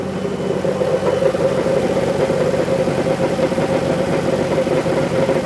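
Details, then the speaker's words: Dodge Grand Caravan 3.6 V6, 133,000 miles, idling with a fast, loose metallic rattle over the hum; others suspected a lifter, but not lifter or rod bearing; cracked, wobbling flex plate. "that rattling sound so this was left for me to look at"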